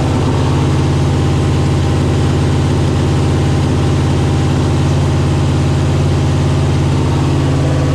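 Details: Chevy CUCV with a new 6.0 V8 at first start, idle tuned down to 650 rpm: a steady, even rumble held at a raised idle that never drops. Idle is too high, with an air or vacuum leak suspected.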